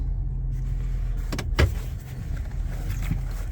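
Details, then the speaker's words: 2017 Ford F150 extended cab, 4WD, driven slowly around a parking lot. A low, steady rumble with only a couple of cabin thumps, with no clunks, rattles, shakes or shimmies. The drivetrain runs normally. "It's a very, very nice running truck. There's no clunks, no rattles, no shakes, no shimmies."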